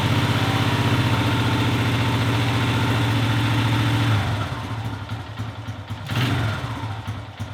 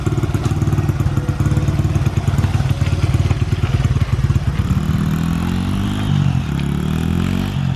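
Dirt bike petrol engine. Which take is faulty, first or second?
first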